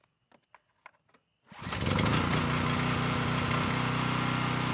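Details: Coleman Powermate Pulse 1850 brushless generator, about 23 years old, first start after carburetor reinstall and fuel-system repair (tank to carburetor), had run rough before. A few clicks, quick catch, then a steady even run with no misses or surging; engine sounds good.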